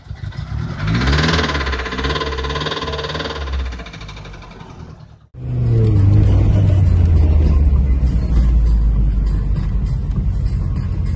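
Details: Toyota Carina, after engine overhaul and head gasket replacement, starts normally in the morning: revving produces a fairly regular knock about four per second, likened to a Subaru; source of the knock unknown.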